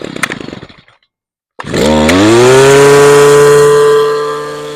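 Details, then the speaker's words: Stihl FS55 RC two-stroke string trimmer at wide-open throttle during high-speed mixture adjustment: steady high scream, then the tone drops and burbles as the needle is richened into four-stroking, to be leaned slightly afterward. "Now what I'm going to do is I'm going to start the engine, go wide open throttle, and I'm going to loosen it and richen it until you hear it do something called four-stroking."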